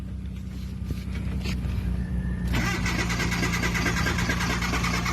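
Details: Mitsubishi Lancer project with black smoke and hard starting: slow uneven cranking for a couple of seconds before the engine catches and runs rough; cause not evident.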